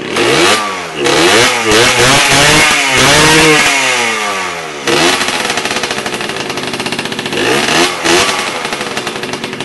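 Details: First start of an MT5 after renovation: small two-stroke buzzes up through several revs and settles into a quick, even popping idle, running cleanly.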